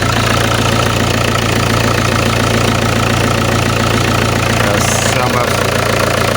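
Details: Alfa Romeo 156 1.9 JTD 8v, 105 hp, parked for months, emitting lots of white smoke. Rough diesel idle with an even, sharp clatter at about 214 per minute; injectors and possibly an exhaust leak are suspected, unconfirmed.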